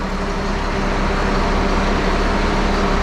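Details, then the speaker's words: 1974 Allis Chalmers 7080 tractor diesel after hydraulic leak repairs: steady deep even chug at idle, no misses or knocks, while leak testing and turning the wheels; clean healthy idle. "You hear that? That's the sound of success. Listen to that big girl purr."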